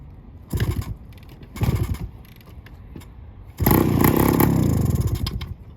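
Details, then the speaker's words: 1972 Suzuki TS185 two-stroke, first start in 30 years with new cheap aftermarket carb: two kicks with coughs, then runs raspy and popping; more exhaust blowing from a leak than from the tailpipe. "so that sounds like something's terribly off on the car got more exhaust coming out of the freaking leak than we do in the back"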